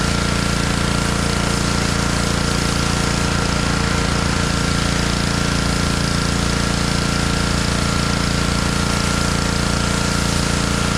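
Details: Honda pressure washer engine that sat all year in a basement, after cleaning a carburetor that had a little water in it, running outdoors: steady, even, fast regular beat with no misses or surging; healthy.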